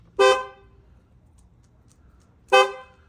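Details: Opel Corsa D horn after repair, following a non-working horn with suspected burnt contacts; the old horns were cleaned and refitted. Two short, loud, clear honks with quiet between them; the horn sounds strong and full, working properly.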